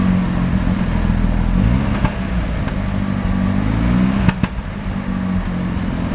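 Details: Mazda RX-7 rotary, CO extremely high (2.70), failed inspection: irregular stumbling beat and sharp pops as throttle is cracked open, misfiring only on light throttle; no oil pressure, no leaks; ignition leads measured; cause unknown.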